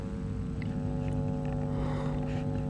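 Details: 2C34 20 W class AB2 push-pull valve amplifier, volume full up, no music, listening at right speaker (left has DC supply to EF37A); constant low buzzy hum despite repair attempts; mains hum, cause suspected, not confirmed.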